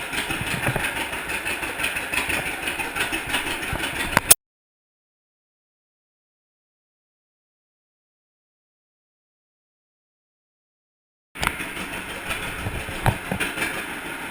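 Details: 1942 John Deere unstyled A two-cylinder tractor, first start after a stuck-engine conversion with new spark plug wires: loose, uneven putting beat of about three pulses a second broken by a dead gap; running on its own.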